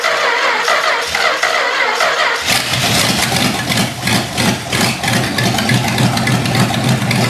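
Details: Long-sitting 318 engine, carburetor junked from sitting forever, primed with gas: it catches after two seconds, then runs lumpy and uneven with surging beats. Rough running from the bad carburetor.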